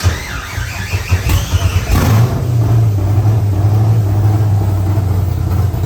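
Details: C5 Corvette drift build cranks a couple of seconds after brake clean was sprayed into the intake manifold with throttle open, catches abruptly and settles into a steady low rumble; new battery fitted.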